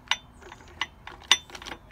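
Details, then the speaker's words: Honda CBF125 engine, off, turned slowly by hand in one direction: sharp metallic clicks as it binds and won't rotate. The gearbox turns freely, so internal metal-to-metal contact or looseness inside the engine is suspected while starter parts are awaited. "It's like there's definitely contact there. So basically, what's happening is I can turn the engine the other way, but if you listen, something's definitely getting stuck and it can't turn the other way."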